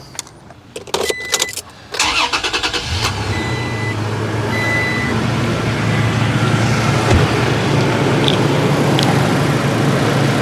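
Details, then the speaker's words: Car starting right after a battery replacement, with charging system checked: a few handling clatters, then a brisk, quick crank, and the engine catches into a steady idle. It cranks over much better with the new battery. "that certainly cranked over a lot better."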